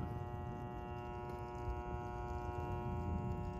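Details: AC condenser during preventive maintenance: steady low electrical hum with a faint irregular buzz on top and no motor rhythm, as the contactor coil is not pulling in cleanly and chatters.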